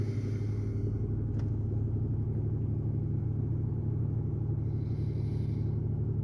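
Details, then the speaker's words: 2008 Pontiac Grand Prix 3.8L V6, 148k miles, check engine light, P0300 with misfires on cylinders 5 and 2; rough, uneven lumpy idle; suspected shared coil pack, no spark from cylinder 5. "all right 2008 Pontiac Grand Prix got check engine light [Music] miles very rough idle I don't know if you can hear that got serious misfire so let's see what we"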